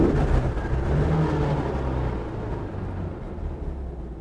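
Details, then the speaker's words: 1967 Porsche 912 on first test drive with newly installed 2.1-liter engine; occupants say it feels powerful and sounds smooth. Deep even engine note pulling smoothly, no knocks or misses, fading away: normal acceleration. "Yeah. So different. Man, it really sounds good. It's like so smooth."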